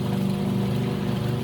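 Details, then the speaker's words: Alita 60 air pump after rebuild: steady, even low hum with a soft rush of air and no rattles or knocks, much quieter than before, with very strong output; running normally. "Oh, look at that, so much quieter. It's almost no noise. The only noise you're hearing is from the air."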